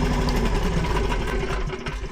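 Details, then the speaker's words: Machine moved back and forth under engine power gives a steady, nagging squeal that only began this morning. The owner suspects a bearing behind the plates; cause unconfirmed. "It never did that before, but it's squealing really bad. Yeah, you can hear it. Really bad."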